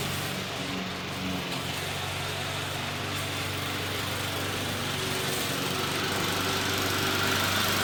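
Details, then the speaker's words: McLane mower, rear lifted so the freshly lubed drive chains freewheel without driving forward: small single-cylinder engine putting about four beats a second, even and quiet, no knocks or rattles; running healthy, readied for sale. "so doesn't run too bad actually as you guys saw picked up the ass in to uh let the chains kind of freewheel on their own without actually having to drive the mower forward"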